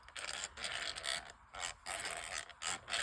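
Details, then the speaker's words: Catalina No 804 spinning reel before cleaning and lubrication: dry raspy chatter in bursts as the handle is cranked, from inside the bushing, not the gears; relubrication expected to fix it. "Hear that chatter? That's not a gear chatter. That's a bushing chatter. That's it's chattering inside the bushing there."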